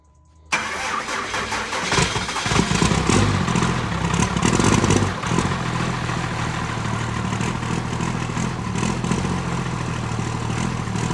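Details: Diesel truck just after a faulty starter with excessive play was replaced with a spare. Brief crank, quick fire-up with a rev flare, then it drops to a steady, even diesel idle; starting sounds normal.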